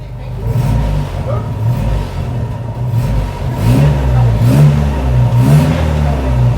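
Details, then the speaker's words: 1959 Ford Taunus 17M running after its first start in the USA. It picks up cleanly on each throttle blip and settles without misses or knocks, so it sounds healthy, though it has a flat spot and was running rich at first. "sounds pretty good happy tom i'm a happy tom this is a great great day"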